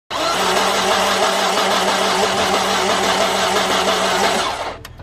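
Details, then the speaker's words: Volvo V40 petrol engine: fast, even, free crank with no compression pulses, never catching. No compression; suspected cause is fuel washing down the cylinder walls and mixing with the oil, unconfirmed. "tried to start it yesterday no compression well there's absolutely nothing there"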